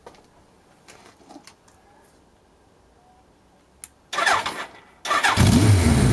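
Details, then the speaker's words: Suzuki GS1100 G at its first start after a carburetor strip-down and valve clearance adjustment: it catches with a strong, even beat and a healthy tick-over. An oil leak remains. "pretty cool tick over still got that flipping oil leak oh man what are we gonna do about that damn anyway this is pretty nice"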